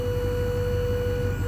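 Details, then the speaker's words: Dump trailer hydraulic pump motor running off the truck's power via new 1-gauge wiring and switch: steady mid-pitched whine without grinding or surging, seemingly a little faster; successful test. "There we go. Seems to be a little faster. Heck of a lot faster than if it doesn't work at all."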